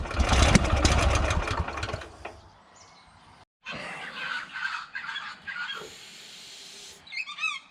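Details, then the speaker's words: Honda GX340 petrol engine on an auger, after throttle linkage adjustment: runs rough about two seconds then dies, later only weak sputters; spark plug carboned up, gap okay; hard starting and stalling. "I still having trouble getting this thing to bloody start pulled the spark plug out it's pretty carboned up"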